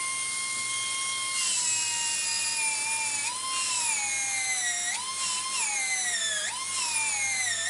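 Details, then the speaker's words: Slot car motor just reinstalled and run in at about 4.5 V with the axle pushed sideways to tighten the angled gear mesh: a high whine dipping and grinding roughly. After run-in the mesh becomes smooth at 6 V. "basically run the gears in for you and it will sound horrible and you'll be thinking how is he doing but trust me it works"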